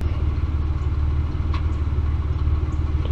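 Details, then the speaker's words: 1999 Ford Explorer 4.0L SOHC, not yet warmed up: an uneven, lumpy idle with pulses wandering around three a second. Running lean, bank 2 fuel trim about 23.7%; a vacuum leak is suspected. "but you can tell it's running real bad that's a lean condition right there"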